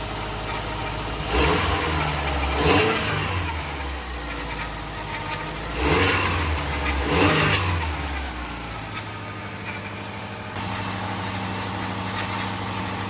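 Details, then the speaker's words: Subaru EJ25 swapped into a 1973 VW bus, after wiring the ECU starter switch input: two clean throttle blips, then smooth steady idle while warming, radiator fans unconnected, smoke from spilled coolant; running fine. "you see it's heating up but it seems to be running fine"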